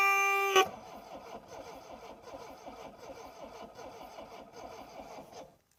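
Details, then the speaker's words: 1960s Homelite 55HP outboard with new ignition capacitor and freed starter: even churning crank rhythm that never fires; owner suspects no electricity reaching the points, cause not confirmed. "ounds like she wants to but there still sounds like there's no um electric getting to the uh the points there"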